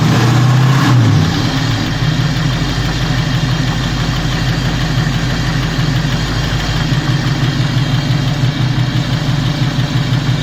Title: 351 Cleveland ticking sound from passenger side of engine